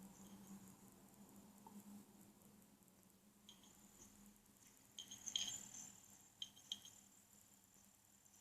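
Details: Hard drive side of an Acer S3-392G laptop (second replacement unit) gives occasional loud seek clicks and ticks over a quiet hum; store staff called the noise acceptable.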